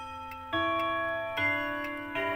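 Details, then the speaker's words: Old quarter-hour pendulum wall clock chime melody out of sequence: three ringing notes at uneven gaps in wrong order; reset with the melody-adjusting lever or hanging string. "Nah, apa arti suara yang kacau? Ah, suara yang kacau itu seperti, misalnya, mendengar suara gong di nomor enam."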